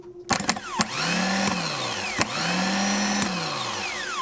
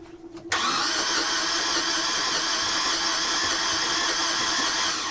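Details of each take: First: Yanmar marine diesel on a sailboat, starter motor after being worked on and reassembled; spins up quickly to a clean steady whir twice with no grinding; normal starter operation, engine itself still suspected of a diesel issue. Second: Boat diesel engine cranked with a spare starter after the original would not turn at all: starter whirs steadily but at about half normal speed, too slow to start the engine, which never catches; suspected starter fault, not confirmed.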